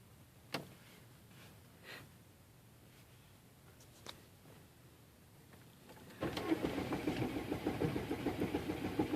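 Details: 2004 Chevy Malibu Classic with a brand-new battery, body control module and main relay already replaced, first failed when hot and now won't start even cold: quiet clicks, then steady cranking about three pulses a second that never catches.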